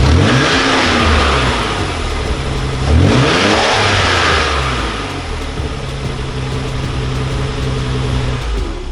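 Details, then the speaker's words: Nissan 300ZX twin turbo with factory blow-off valves, before HKS blow-off valve install: engine blips up and settles smoothly, no flutter or whoosh on lift-off; stock valves venting quietly, normal. "It's not that loud because it's got the factory ones, the blow off valve from factory, so that's why it doesn't make any noise."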